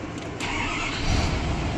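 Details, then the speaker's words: 2016 Ford F650/F750 6.7L diesel, check engine light on with codes P138B and P20C2 from green corrosion on high-current wiring; after repair and clearing codes it cranks briefly, catches at once and runs firm and even, a normal start. "we're going to clear all the codes that were stored because of that hard fault and then we're gonna start it up and see how it runs"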